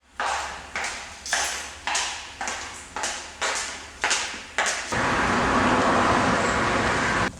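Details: Old Skoda 120 that died suddenly in a parking lot: the starter chugs in even bursts of about two a second and the engine cranks but won't start.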